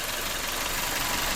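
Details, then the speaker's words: 1996 Toyota Corolla DX sedan with rebuilt 7A-FE engine, 136 miles on the new engine; quiet, even idle with a light, smooth whir, no knocks or misses; normal idle. "I'm going to start it up and let you hear this beautiful machine run like a sewing machine"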